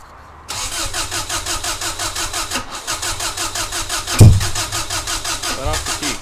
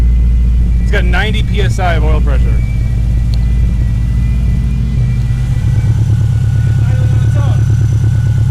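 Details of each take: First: Freshly installed EJ20G engine in a Subaru wagon with a Robtune ECU, 4-to-2 ignition converter and MSD coil pack cranks steadily with a brief catch but never starts; a map sensor code shows the ungrounded MAP sensor was missed during wiring. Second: Freshly installed engine in a Subaru wagon with a Robtune ECU and MSD coil pack runs with a steady, even rumble that rises cleanly when revved; starting to smoke on first start, near operating temperature, oil pressure falling to about 60 psi as it warms, plenty of vacuum.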